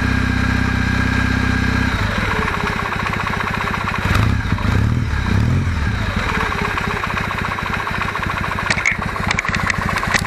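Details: Kawasaki W650 twin idling cold, not yet fully warmed, with a light rapid metallic knock on the beat that grows as it warms. Valve noise has been ruled out by adjustment. The owner suspects the cam drive/driven gear mesh needs adjusting.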